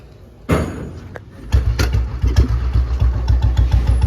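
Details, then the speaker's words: 2009 Royal Enfield Bullet 350 after restoration and tappet adjustment: starts on a half kick and settles into an even thump about three times a second with no tappet clatter or stray noise; healthy start and idle. "बढ़िया sound आ रहा है ना बढ़िया sound तो sound इसका बिल्कुल बढ़िया और इंजन भी इसका बिल्कुल साउंडलेस है बे फालतू की कोई भी आवाज नहीं है"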